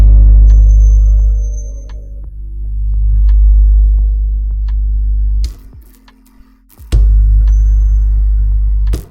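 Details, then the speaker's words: Loud steady low-frequency hum from a 2.1 subwoofer as soon as it is switched on, with no signal playing; the sub's amp section otherwise works, cause not yet known, unit about to be opened for repair. "හැබැයි සබ් එකේ මේ කැම්ප් එක ඔක්කොම වැඩ කරනවා. අපිට සබ් එකේ ගාන සද්ද එනවා. ඕක තමයි අපේ ප්‍රශ්නේ."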